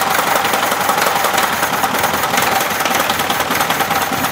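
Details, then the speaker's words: Engine deliberately fed debris (ceramic pieces imitating a chipped spark-plug insulator, screws, ~6 mm bearing balls) into its cylinders runs a lumpy, stumbling idle with irregular clattering knocks and uneven pulses, nearly stalling: rough running from cylinder debris. "а а пока вот и двигатель на последнем вздохе"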